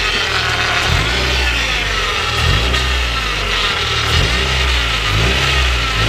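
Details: Honda Prelude with freshly rebuilt F20B (86mm bore, K20A Type R pistons, stock rods, polished crank) on first run: crisp revs rising and falling about every second, back to a smooth even idle between blips; no smoke, healthy.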